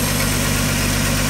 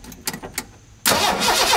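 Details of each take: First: 1985 Ford F-150 with a 300 inline six and 240,000 miles, running after cam gear replacement and a start on starting fluid. Steady, even low idle with no knocks or misses; a slight exhaust leak is noted. Sounds well broken in. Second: 1985 Ford F-150, 300 straight six with 240,000 miles, first restart after cam gear replacement: about six seconds of steady starter cranking at roughly four beats per second that never fires; crank no start, ignition spark being checked.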